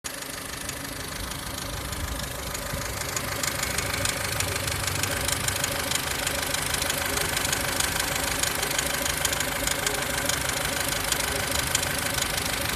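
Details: 2003 Ford Fusion 1.4 petrol (Zetec SE) on 5W-30 oil, steady idle with light quick ticking about twice a second from the belt end; auxiliary belts and water pump ruled out, cause unknown.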